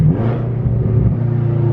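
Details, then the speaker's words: BMW F10 M5 V8 after a wastegate rattle fix: deep, steady exhaust rumble while decelerating and off throttle, with none of the metallic wastegate rattle previously heard every time the gas was released. "See, right now you would be able to hear a lot of wastegate rattle, but I hear nothing at all. It was literally every time you would decelerate, or like every time you would let go of the gas, you can hear the wastegate rattle."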